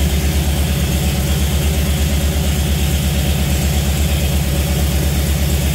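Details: Jeep CJ5 with Holley EFI, engine before break-in: steady even low idle, smooth regular beat, nothing knocking or ticking; oil pressure a healthy 55–60 psi, no leaks underneath.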